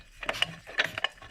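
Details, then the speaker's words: Freshly assembled stock Peugeot 103 moped engine, compression checked after assembly by turning it over by hand: three sharp, firm puffs of air, the little "pchit"; engine compresses strongly. "vous entendez le petit pchit. Donc ça, c'est un moteur qui comprime fort et ça prouve qu'il va vraiment marcher fort ce petit moulin."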